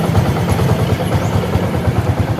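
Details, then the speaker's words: 125 cc motorcycle after light restoration: valve seals replaced, oversize piston fitted, old piston rings reused; even, steady low putter at idle with regular firing and no knocks or ticks, engine sounds normal. "Sekarang mari kita nyalakan. Suaranya halus, putaran mesin saat idle bagus, dan nyaman dikendarai."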